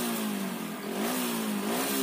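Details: Old pre-2012 Hero Splendor Plus after fixing a grounded black-white ignition wire that killed spark and caused misfiring; coil and CDI fine: clean smooth revs rising and falling with throttle, no stumbles; misfire gone.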